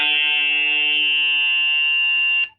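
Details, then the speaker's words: Brand-new Kenwood TS-890S transceiver, checking the monitor output: steady, buzzy high-pitched whine for over two seconds, then it cuts off; internal audio line noise, owner suspects a radio design or software fault. "I was trying to check the monitor but it something something is creating a noise inside the radio at the moment but that's that's a problem that I want to figure it out"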